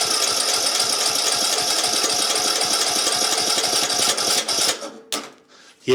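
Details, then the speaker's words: Craftsman YT 3000 lawn tractor cranked directly at the starter with a shot of fuel and air blocked: steady starter churning without catching; owner suspects fuel not getting past the carburetor. "that should have started but I don't think my gas is getting in cuz the carburetor is on there"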